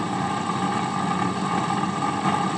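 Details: HP 8901B Modulation Analyzer powered on after capacitor replacement while probing supply ripple, original fan still fitted: steady rough whir with a faint rattle at constant speed; worn, noisy cooling fan, later replaced.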